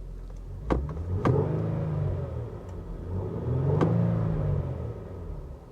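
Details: Infiniti G37S V6 with manual transmission, restarted and revved: two clean throttle blips rising smoothly and settling back to an even idle, no knocks or rattles; healthy V6.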